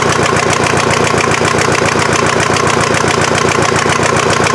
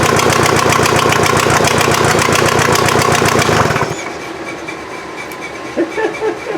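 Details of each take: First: Mazda off-roader with a swapped VW diesel, finally fired up after a hard start with some smoke (owner wonders about the head gasket) and the injection pump still needing tweaking: settles into a steady, even clatter of three to four beats a second with no misses. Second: VW diesel in an offroad Mazda just after first start: clatters at about 220 even beats a minute for four seconds, then shuts off; injection pump still needs tweaking, head gasket suspected from smoke.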